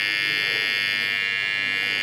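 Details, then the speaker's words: AC-coil contactor: a loud steady buzz because a thin scrap of paper, simulating dirt, keeps the armature from seating flat on the core; when normally assembled it is nearly silent. "же отчетливо слышно замечу что это всего лишь из-за очень тонкой маленькой бумажки таким же образом действуют и грязь которая каким-то образом попадает"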